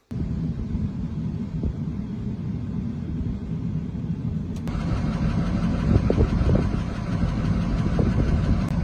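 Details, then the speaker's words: Ford 6.0 Powerstroke diesel, ZF6 manual, at idle: rough lumpy chug with occasional stumbles; scan shows cylinder 8 injector circuit balance fault, injector possibly stuck open, cylinder 8 misfire. "It's a cylinder 8 misfire. Hopefully gonna mess with that more in the future, not in this video."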